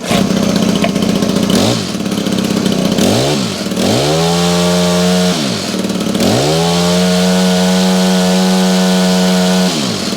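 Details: Honda HHH25 two-stroke hedge trimmer after a carburetor replacement and idle adjustment: revs up cleanly and settles back to a steady, even idle at a good speed without hunting or stalling, running normally.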